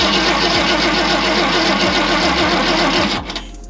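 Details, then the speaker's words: 1965 Ford Galaxie 500 with a V8 on points ignition: the starter churns at about four beats a second and the engine never catches. Carb cleaner was sprayed in, the coil gets power, and the battery reads 10 volts. Points give no spark, so a Pertronix swap is planned. "I got nothing from points. Well, since I had no spark, conveniently I had a Pertronic system, both the coil and the igniter and all that, for my F100"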